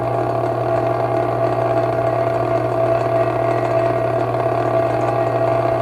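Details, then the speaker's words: Vintage 1937 electric fan running unoiled: loud, steady buzzing rattle over an even, constant motor hum; owner suspects a loose part with slack, hoping oil cures it. "hopefully we'll get some oil in there and get that out believe that's what's making the rattle noise where it's loose"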